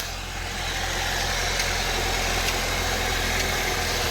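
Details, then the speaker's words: 2008 Saab 9-3 2.0 turbo Aero cabriolet, automatic, 210 bhp, 173k miles, idling: faint light tick about once a second over smooth idle, fading as the engine warms; suspected idler/tensioner, not cassettes, unconfirmed. "so what we have is everything's okay there's a slight tick tick from the engine now I know these things in previous generations because we've had 95s before um with a 2 L turbo engine they needed cassettes"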